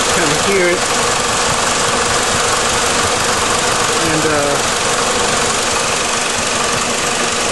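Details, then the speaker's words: 2004 PT Cruiser being diagnosed for overheating, after topping off the coolant, idling at normal operating temperature after about 10 minutes: a steady, even rush of air from the radiator cooling fan with no rattle or scrape; the fan works normally. "It's been running for about 10 minutes now. And cooling fan is operating."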